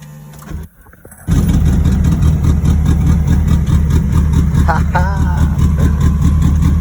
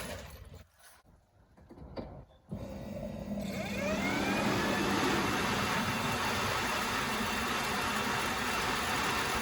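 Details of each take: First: K-swapped turbo EF Honda CRX, crank-no-start now solved, on a cold day. Catches almost instantly after a brief crank, then settles into a steady, even low idle with no misses or knocks: normal start and idle. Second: K-swapped Honda Civic EF/CRX just after completing the swap; starter spins the engine with a steady whirring crank that never catches or fires; crank no start due to no spark at cylinder one.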